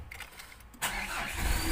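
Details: Diesel after swapping two busted glow plugs for used ones to cure hard morning starting: brief quiet, then catches almost instantly and settles into steady idle; clean first-crank start.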